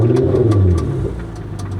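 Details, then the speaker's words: Chrysler LeBaron turbo at auction, revved: engine blips with irregular sharp metallic raps and squealing; engine knock, suspected rod, metal on metal. "It sounds like a rod."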